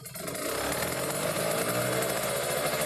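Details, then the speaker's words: Kawasaki Ninja RR two-stroke, Mikuni 28 carburettor, air screw set to two and a half turns out: crisp steady idle with even rapid beat, no hunting or misses; mixture right and responsive, normal idle. "ini ada normal nih Nah itu udah normal ya dua setengah putaran sudah paling enak dan responsif"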